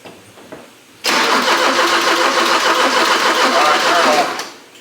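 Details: 1984 Porsche 944 left sitting in a field, after fixing the fuel pump relay, fuel pump working: steady fast cranking about three seconds, never catches; crank-no-start, suspected no spark from the coil, not confirmed.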